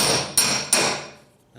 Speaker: you could i don't know if you can hear but you can hear kind of a low pitched hammer what i'm doing here but then when i hit too close to on dolly you can kind of hear the difference it's kind of a higher pitch yeah